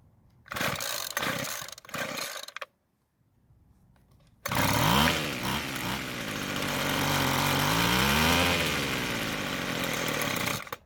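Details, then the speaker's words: Free Weed Eater two-stroke trimmer with rebuilt carburetor; a few pulls then a brief fast run rising and sagging in pitch at half choke before cutting out, no start at full choke; owner suspects not enough fuel, lean. "it didn't try and start in the full choke position but instead it happened when i went to half choke and then it died what that's telling me is i don't have enough fuel"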